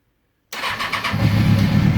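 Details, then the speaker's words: Kawasaki Ninja ZX-636 during a rebuild, after installing fuel injection and a new battery: catches on the first turn and settles into a steady, even idle with no stumbling, a healthy start; idle is slightly low. "at that fires right up fires right up"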